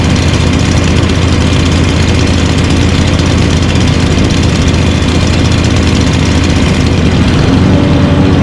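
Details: Lawn mower engine idling during winter upkeep: a steady, low chugging idle with an even thump and no misses or knocks. A normal idle.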